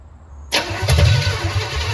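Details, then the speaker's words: 1968 Chevelle with a swapped-in small-block Chevy V8, fuel likely not coming through the idle circuits: catches abruptly and runs rough and uneven, struggling; carburetor fuel starvation. "Well, it doesn't like that at all. [Music] [Music] Yeah, that's just not getting fuel. It's a carburetor issue for sure."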